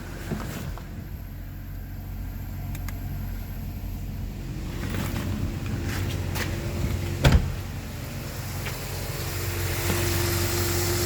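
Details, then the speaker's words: 1997 Mercedes-Benz W210 E420 idling at about 62°F with A/C switched off; steady low engine hum, the compressor clacking heard with A/C on is gone: normal running with A/C off. "So you can see no clacking noise anymore."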